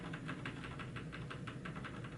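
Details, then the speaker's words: HP Z620 workstation from a recycler powering on for the first time with a graphics card fitted: fans whoosh up with quick even soft pulsing over a low hum, then it posts; normal fan spin-up at power-on. "I hear the fans going."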